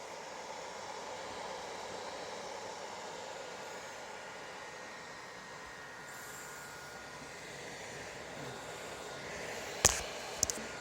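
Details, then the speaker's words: PS4 just launched in Planetside 2 beta; steady airy hiss with no rhythm, fan spinning harder than normal. Loud fan noise under load. "the fan is kicking harder than normal and I just want to let you guys hear it"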